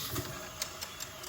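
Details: Detroit Diesel 8V92TA military-surplus two-stroke, idling after the cylinders were pre-lubed: steady, even beat with light regular ticking; the earlier vibration is gone, running smoothly.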